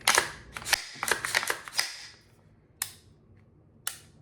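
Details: Daniel Defense PCC pistol, 8.3-inch barrel, with Rise Armament PCC trigger (about 3.5 lb, replacing an 8.5 lb mil-spec) dry-fired: several crisp, even clicks with quick resets; trigger breaks and resets properly.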